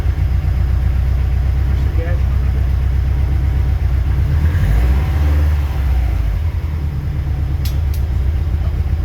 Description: Trying to find source of the weird sound on my 2015 STI driver's rear.